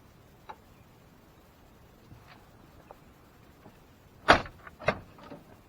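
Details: Short creaky squeaks as the RAM 1500 driver-side door swings, from the door check roller that has slipped down over time; oiling made it louder, fix is prying the roller back up with a screwdriver.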